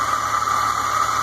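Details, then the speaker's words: 2001 Fiat Palio Fire 1.0 idling, noise at the front after startup, at first suspected water pump: steady high-pitched whine over the idle, traced by a workshop to a failed AC compressor bearing. "aqui é o compressor do ar condicionado e esse barulho aqui dentro é o seguinte rolamento do compressor do ar condicionado não está agindo nessa da fia"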